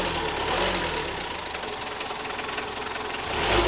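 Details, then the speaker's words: Diesel car idling in neutral after an engine overhaul, started without throttle: even diesel clatter with no misses or knocks, steady and smooth; vibration noticeably smoother than before. "kita starter ya nggak perlu injak gas getarannya juga berubah ya"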